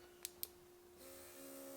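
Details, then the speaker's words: Quivena airbrush compressor: two light clicks, then a steady, even motor hum with airy hiss and no knocking; this is how it should sound. "so anyway this is how it's supposed to sound not dead"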